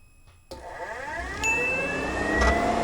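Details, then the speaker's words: 1UZ V8-swapped Toyota pickup, Spitronics ECU controlling the fan relay: temp sensor leads jumpered to fake 139°, key on; quiet, then the fan kicks on and whirs up smoothly to a steady speed, switching on and running normally. "it'll trick the ECU into thinking that it is 139° and shortly we'll hear the fan fire up"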